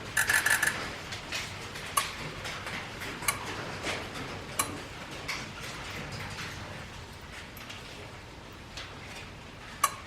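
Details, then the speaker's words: 6.0 Powerstroke F-250, 227k miles, engine off buzz test after adding Rev X; faint uneven ticking about three per second, all injectors now click but many very quietly; Rev X did not make them louder. "so the Rev X did not make them click any louder they still click but very quietly"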